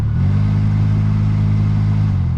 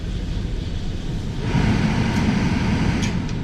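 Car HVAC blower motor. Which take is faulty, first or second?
first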